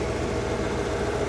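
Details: Car stereo with amp after ground-loop fix, stereo grounded directly to the amp and other grounds removed: even engine idle with no hum or whine rising with RPM; normal audio, no hum.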